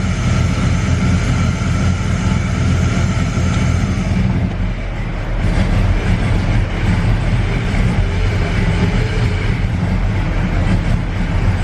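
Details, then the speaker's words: LS-swapped Cutlass on 22-inch wheels with air suspension, standalone harness and stock GM computer, before a dyno tune: deep, lumpy V8 idle that sags and hangs low when put in gear, as if wanting to stall; some belt noise. "I think the guy complained when you put it in gear and wants to die stuff like that see how it is"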